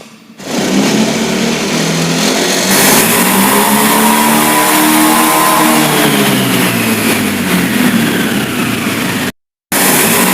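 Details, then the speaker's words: Fuel-injected Honda Beat after replacing the faulty throttle position sensor that caused stumbling at high rpm: engine picks up cleanly from idle, pitch rising and falling smoothly with no stumble; revs normal. "Oke untuk putaran mesinnya dia sudah normal karena tadi untuk sensor tv-nya sudah saya ganti dengan sensor yang baru"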